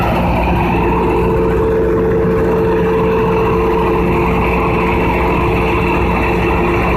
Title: Conduct load test of Generator 3500 KVA# Loud Noise#